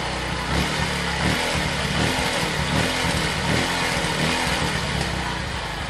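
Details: Yamaha Vixion single-cylinder: steady, even idle putter with no knocking or rattle.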